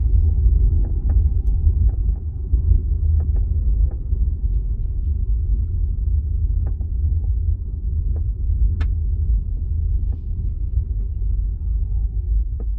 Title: 2025 Ioniq 5 Ultimate boot trunk rattle creak noise